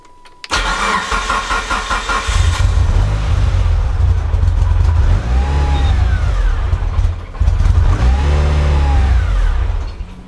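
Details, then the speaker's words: Mitsubishi EVO first real startup after fuel pump hanger wiring work, no air filter fitted: catches and revs, then idle sags and surges unevenly instead of settling; won't keep idle, no obvious leaks found. "It seemed like it wouldn't keep idle. That looks okay. Let's just move that out of the way. Strange that it won't keep idle."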